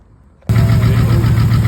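Silence, then the engine catches at once and settles into a steady, even idle with no misses or knocks.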